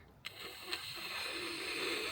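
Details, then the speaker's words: 1956 Bentley S1 Saloon, 70,000 miles: indicator stalk switched on, then after a click a soft high whirr lasts about two seconds as the clockwork self-cancelling mechanism winds it back to centre; working normally. "And when that's on, there's like a clockwork mechanism that returns that to the middle. So you put it on, indicators on, and then you hear this sort of"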